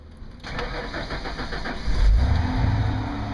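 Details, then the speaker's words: 1993 Ford F150 4.9L 300 straight-six 4x4, no-start with DTC 542 fuel pump secondary circuit fault, fixed by replacing the fuel tank switch: brief steady cranking, catches at about two seconds into a smooth even idle; normal start. "there it is so if anyone is having this issue come check those three things and that should fix it but yeah it's it's it's really simple it was a bad switch that what that's what was causing my truck not to start all right wish you guys luck"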